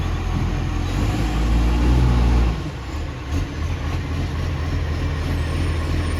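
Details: Ex-Canberra vehicle 728 at a deep, loud idle with a rough puffing beat of about three to four a second over the low drone: a loud exhaust leak.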